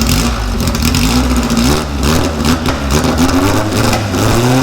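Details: 1956 VW oval-window Beetle air-cooled flat-four revs up and settles with a smooth, even beat and no knocks or rattles; sounds healthy.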